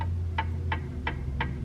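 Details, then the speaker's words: Checking backlash in a 2015+ Subaru WRX differential during Kaaz LSD (DBF2050) install: drive axle rocked by hand gives crisp, evenly spaced clacks about three per second, slight slop before engaging; normal differential gear backlash. "see you hear that noise i'm turning the drive axle and there's a slight slop in there so there's a slight delay before it engages and that's what you're going to measure that's the backlash"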